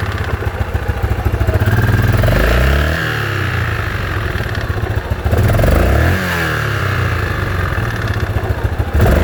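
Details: Yamaha Grizzly 660 single after rebuild with new Hot Rods crank and Wiseco piston, blipped up and down: thumping exhaust beat with a clattery tick over it; abnormal engine noise, origin unclear.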